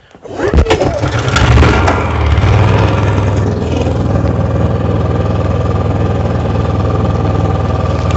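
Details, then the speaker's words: Brand-new Honda EU6500 inverter generator, stored 1.5 years with bad gas left in it and valve on, carburetor cleaned and gas drained, pull-started (dead battery): catches, flares briefly, then settles to a smooth, steady, very quiet hum, no surging. Normal running. "listen up quiet listen how quiet this machine is it's running right now i mean you probably hear it louder because my mic but i'll stand over here where the camera is just listen how quiet that is like you can barely hear it it's quieter than my ultrasonic cleaner"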